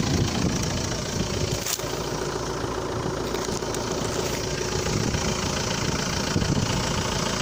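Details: Cold-start knock: irregular knocking clatter under the engine note at cold idle from a crankshaft damper pulley (accessory drive pulley) that has come apart; delaying replacement can in some cases lead to bent valves.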